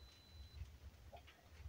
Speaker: that's the you've ran out of power beep time to start the Jenny